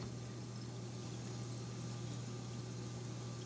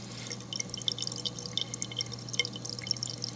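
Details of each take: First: Eshopps PSK-100H protein skimmer in a bedroom, quieted with a 2-liter soda bottle cap: smooth, even low hum with faint water trickle, no rattle or gurgle; running quietly and normally. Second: Eshopps PSK-100H protein skimmer: irregular gurgling, splashing and bright drips over a steady low hum. The noise is not from the air hose, which has a silencer. It is quieted using a 2-liter bottle cap.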